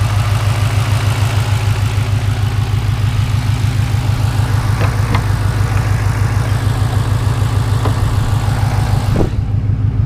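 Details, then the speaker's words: Turbocharged engine (Turbonetics 60mm kit, 5.5 lb boost): deep, even knock about three times a second at idle, also heard through the exhaust; owner suspects something loose or hopes for an exhaust leak. "yeah I don't really know what it is again hoping maybe it's just some kind of exhaust leak that's going on something maybe a pipe it's just slightly messed up"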